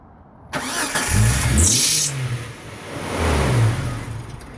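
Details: 1999 Jeep Cherokee, problem worse after a new PCM: starter whirs steadily and the engine turns over at an even rate but never catches; crank-no-start of unknown cause.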